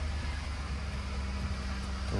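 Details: 2005 Chevy Silverado 1500 just after steering column shaft bearing replacement, which fixes a clunk at the steering wheel. Engine idling while the wheel is swung side to side: steady, even idle with no knocks or clunks; normal steering.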